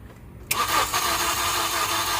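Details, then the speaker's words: 2014 Honda CR-V 2.4L, timing chain replaced by another shop and left unfinished: starter spins steadily but it never fires; compression felt low by hand; timing suspected off after an attempted start. "see somebody tried to start this at one start and I think they got the timing off so everything's gonna have to come apart"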